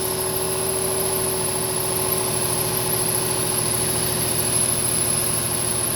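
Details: 2007 Nissan 350Z idling with a constant high whine and a faint mid-pitched hum of unknown origin. The same noise is present with the air conditioning on.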